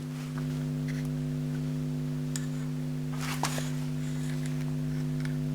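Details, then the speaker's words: Marshall JTM45 amp, microphone at the speaker: a constant low hum that is present regardless of the standby switch or whether valves are fitted. The output transformer is mounted too close to the mains transformer, and rotating it 90° cures the hum. "Right. So that's you can hear that level of hum. I'm going to rotate the output transformer by 90°."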